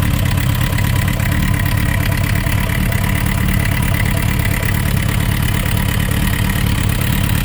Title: Suzuki Rf900 Engine Knocking Sound Issues